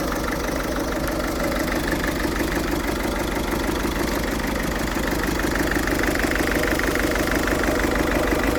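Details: Ford Fiesta 1.6 TDCi diesel idling roughly with an uneven, lumpy beat about three pulses a second and rattly clatter; still smokes acrid when revved, cause undiagnosed, owner plans to check data with Forscan.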